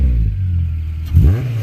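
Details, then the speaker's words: K24A swapped into a DC2 Integra with a rebuilt transmission, after sitting a couple of days in the cold: a low, even idle, then a quick blip where the pitch rises cleanly and drops back without misses; a healthy rev. "Sounds like a typical Honda."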